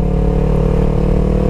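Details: 2015 Yamaha YZF-R3 with Two Brothers S1R full exhaust, ridden at steady cruising revs after a recall bearing job and a new clutch, fitted because the old one was found faulty: smooth, even drone with no rattle or chatter; the clutch sounds healthy.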